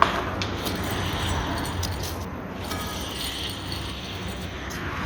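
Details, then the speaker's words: 2004 Renault Mégane Sedan 1.6 petrol, rear left hub turned by hand with the brake disc removed: a dry, gritty, continuous rumble from the worn rear wheel bearing, which is being replaced. "tenemos ya el disco fuera vale rodamiento que lo que suena mal es el rodamiento"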